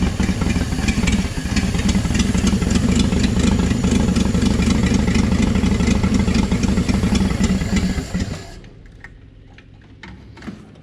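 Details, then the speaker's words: 1959 Apache original straight six, 1-barrel carb, after about 36 years sitting. Lumpy, uneven chugging with an irregular beat, then it dies after about eight seconds and won't hold idle. Owner suspects the idle circuit isn't working well. Rough idle and stalling. "Okay. Idle circuit must not be working very well. So close."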